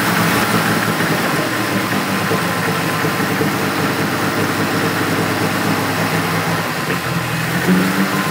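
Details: 1970 BMW 2800 CS (E9) coupe stored untouched for 38 years, first fire-up with the fuel pump heard priming; it starts easily and gives a smooth, even idle with no knocks or misses, getting a bit smoky: normal idle.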